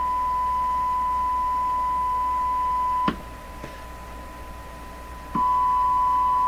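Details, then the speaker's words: Canadian Crosley 12B radio, audio checked with a signal tracer: clean, steady high tone drops out briefly and returns, with no hum; the second radio shows a hum and possible Morse code. "This one comes with a hum. what sounded like a touch of Morse code in there. There's no hum over here."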